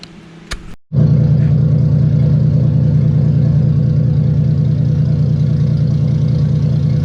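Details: Toyota Soarer, first start after fitting a new-style wastegate recirculating into the downpipe: engine catches and settles into a steady, even idle with no chuffing or tractor-like puffing from the exhaust.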